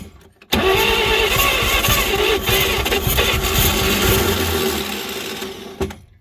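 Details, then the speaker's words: 1938 Chevrolet Master Deluxe sitting since the 1970s, revival attempt: starter drags engine over slowly and unevenly, tapering off without catching; low compression and weak starter, possibly flooding. "what we're fighting here is some pretty low compression and a quite a weak starter unfortunately"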